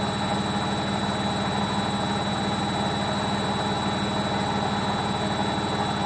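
Constant heavy roar with a steady whine on top through the whole spin, no let-up; points toward worn drum bearings. Cause suspected, not confirmed.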